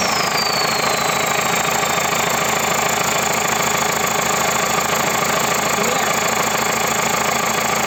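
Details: Perkins 1004 diesel in JCB 4CX, first start after full rebuild (bored block, ground crank, lapped valves, resurfaced head and block, new injection pump): even, steady idle clatter with regular beat, no knocks or misses; normal idle.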